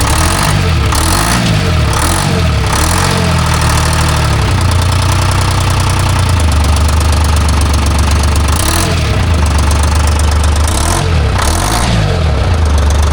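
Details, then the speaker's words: Timberjack skidder diesel, swapped motor with mismatched injectors and loose fan belts, falls on its face under load: runs but surges and sags in waves every second or so; fuel starvation, fuel pressure to be checked. "Shouldn't be doing that. That's what it does, and it gets worse than that."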